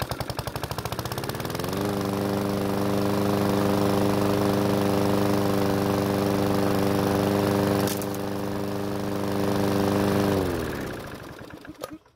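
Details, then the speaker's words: PowerSmart mower, restarted after about 30 minutes, engine not completely cold: about two seconds of chugging cranking before it catches, runs evenly, then shuts down. Still a slow start; guess is low compression, otherwise a governor issue. "Well, it's still starting slow, so I'm going to guess the low compression from the engine is the cause for it. Otherwise, there's an issue with the governor."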